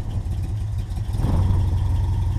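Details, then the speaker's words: 1988 Toyota Pickup 4x4 22R with a worn carburetor, after an oil pan gasket replacement: lumpy, uneven idle that surges in waves; owner suspects a vacuum leak. "I said that's it's probably a vacuum leak somewhere you can hear it surging"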